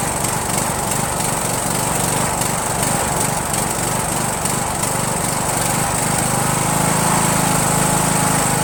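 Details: Rebuilt Briggs & Stratton 17.5HP engine (replaced two broken balancer counterweight links) repowering a Yard Machines lawn tractor, first start on choke, no belt pulley: uneven, loping run with stumbles and surging; rough running, owner suspects carburetor.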